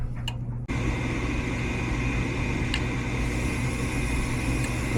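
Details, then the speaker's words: Goodman furnace not heating, rusty burners and orifices: with 24 volts applied to the gas valve, a steady gas hiss flows; valve opening normally. "okay I can hear the gas and I can feel it even though I did hear it the first time"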